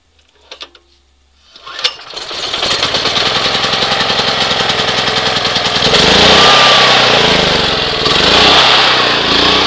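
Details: Pulsar generator with recently done maintenance, cold start at 20°F on choke with the fuel turned on: after a couple of cord pulls it catches straight away and settles into a steady, even run, picking up a little as it warms.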